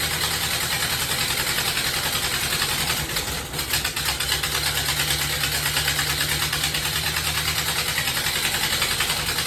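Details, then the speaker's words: 1930 Ford Model A pickup four-cylinder, restarted after head machining, valve spring refit and distributor replacement: an uneven, hunting idle with occasional stumble; the carburettor still needs sorting. "I got it going !! The carburetor still not right... but at least it's running!!"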